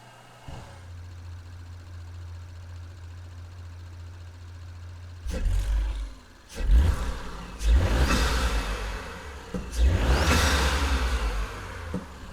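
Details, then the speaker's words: Audi B9 SQ5 with new Integrated Engineering cold air intake: quiet idle, then several sharp revs, each followed by a quick airy blow-off whoosh as the throttle shuts; turbo and blow-off working normally. "Well, you can at least hear the blow off."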